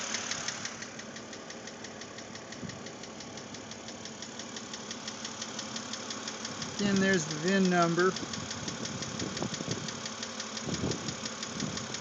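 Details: 2006 BMW Z4 3.0si, about 19,066 miles, at idle: steady quick ticking knock over an even idle; lifter replacement didn't help, owner hopes dealer replaces the cylinder head, cause unknown.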